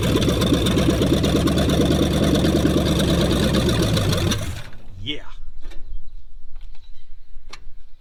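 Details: 1966 Ford Mustang 289 V8 abandoned over 20 years, cranked on gasoline to test whether the existing fuel pump works: about four seconds of steady starter churning, roughly three turns a second, never catching; cranks but won't fire, cause unconfirmed.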